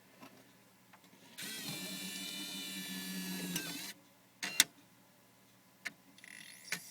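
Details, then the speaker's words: Wii disc drive after the fix, spindle magnet screws loosened, assembly pushed fully left and retightened: smooth, even whir as the disc spins up, with the grinding and buzzing from the spindle rubbing its arm gone. "slightly and as you can you see the nasty grinding and buzzing noise is gone now"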